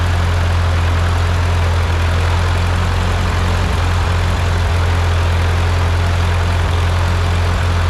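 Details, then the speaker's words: Ford 8N tractor with freshly rebuilt four-cylinder engine, first start after rebuild with piston rings still seating: low, even putter holding steady at idle, no knocks, misses or rattles; sounds really good, normal idle. "Sounds good. Yeah. No, it sounds really good."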